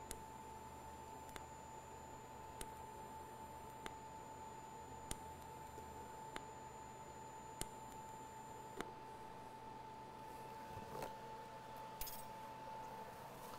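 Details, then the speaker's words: TIG welder in DC pulse at 0.4 pulses per second; steady high arc hiss with a sharp click about every 1.25 s at each pulse change; normal pulsed DC TIG arc. "So you could hear the difference in that and probably see it hopefully as well. The difference between the pulses."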